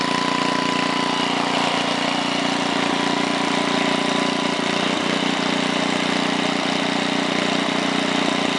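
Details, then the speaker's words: 1968 Briggs & Stratton 7 hp 275cc horizontal engine, model 170402, at three-quarter throttle with no load: steady, even single-cylinder buzz at a fixed fast speed with no misses, knocks or surging; normal running. "it ran just about perfect so I'm gonna start it up one more time it's at 3/4 now"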